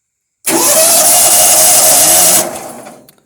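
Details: Toro Wheel Horse 212-5 lawn tractor sitting nearly 10 years, after fuse and switch repair: starter kicks in cleanly with a high, steady whir for about two seconds, then spins down; cranking sounds healthy.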